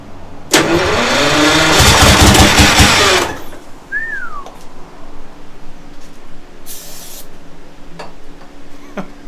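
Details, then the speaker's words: Detroit Diesel 6-71 with turbo pistons, first start attempts, given a little starter fluid after white smoke; cranks, catches and roars hard about three seconds, then dies abruptly, running only on starter fluid without fuel supply. "Just a little bit. Oh my God. I got part of it. Thing's loud. Not bad."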